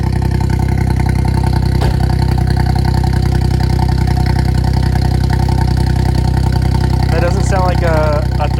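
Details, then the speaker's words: Suzuki Cappuccino 660 cc three-cylinder turbo, first start after N2 kit install (Suzuki Sport N2 ECU, RHB31 turbo, new injectors): loud, steady, even idle with regular low pulse, no skips, all three cylinders firing, no oil leaks; normal idle. "three cylinder 660 cc engine seems to be running everything's good no oil is exploding anywhere [Applause] sounds like all three cylinders are firing like they should be"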